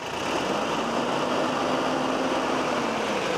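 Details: Freshly rebuilt Toyota 22RE four-cylinder in a truck, first runs after assembly: steady, smooth idle with an even hum and no knocks, ticks or hunting; no oil, fuel or coolant leaks, engine healthy.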